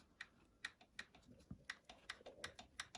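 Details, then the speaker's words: Vintage Moto Guzzi barn find, not run for 40 years, cylinder head rebuilt and refitted, engine stopped: crisp light metallic ticks, about three a second, as the rocker is rocked by hand; audible gap, valve clearance present. "so you can hear the the Gap there you can hear the Gap there"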